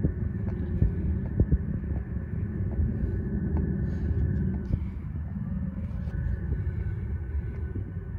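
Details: Viessmann oil heating flue: while heating up, sharp irregular cracks over wind rumble as the 7 m plastic flue pipe expands and its metal top end sticks and slips in the shaft cover, binding from an installation error.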